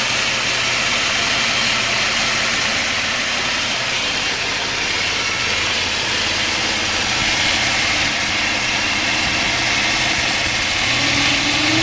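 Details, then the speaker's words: Mitsubishi warm restart after fixing fuel pressure loss that caused long cranks and rough idle: a steady, even idle with no misfire, and the alternator squeak has almost stopped. A little fuel-system pressure loss remains. "The squeaking's almost stopped now."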